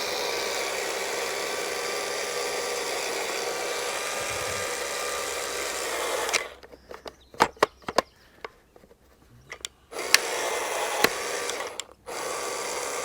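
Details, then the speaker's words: Craftsman V20 CMCE600B cordless caulking gun while running in: motor whine broken by sharp irregular pops and clicks as the gears skip and pop back under load; gear popping and skipping. "One thing I do not like right off the bat is it sounded like the gears were popping a little bit as I was running this in."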